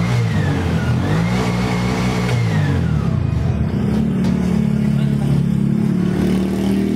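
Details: Bajaj RE three-wheeler that wouldn't start despite new carbon brushes, after checking relay and armature-brush contact: engine catches, settles, revs cleanly up and down with an even note; starts and runs normally.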